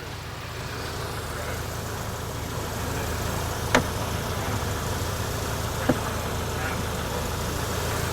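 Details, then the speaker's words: MK7 VW GTI just fitted with APR coilovers, springs, struts and sway bars: quiet engine hum with two sharp isolated clicks when accelerating or decelerating, sounding like plastic or a screw on its threads, source unfound, later disappeared; suspension clicking. "Something's like clicking. Clicking. No, it's not clunking. It's not rubbing. It's like when I accelerate or decelerate, it's like a click. Almost like a screw is clicking on its threads"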